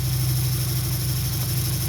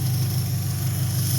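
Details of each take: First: 2003 Dodge Neon 2.0 with a new timing belt and rebuilt head; 190 psi compression on all four cylinders, new plugs, no vacuum leak. Low idle with an uneven, stumbling beat. Plug leads are pulled one at a time: two cylinders show no change, so they are dead. Misfire on two cylinders. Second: 2003 Dodge Neon 2.0, after the failed MSD coil (about 2 years old) was replaced with the original coil. A steady, even low idle with no stumbles; all cylinders firing, misfire fixed.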